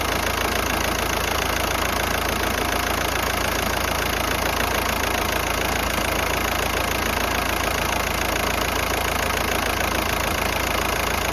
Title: Rough Idle – Golf 5 1.9 TDI (Engine Shaking, Causes & Solutions), Nemiran rad motora u leru – Golf 5